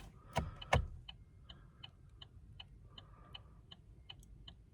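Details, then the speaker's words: 2014 Chevy Cruze, inside the quiet cabin: turn signal clicks steady and evenly spaced, about three a second. Earlier the indicator clicked unevenly and out of sync with the flashers, and the owner wonders about the battery; normal clicking here. "So it was not an equal, you can hear the, click, click, click, click, click, how it's evenly spaced."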